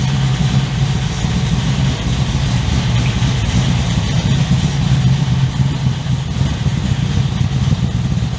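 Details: 355 stroker V8 in an HX One Tonner, restarted after 11 years unrun, Repco Engineering exhaust, recorded on a shotgun mic walking around: deep, steady burble with a firm, even, tough-sounding idle, loud growl, no misses or ticks; healthy.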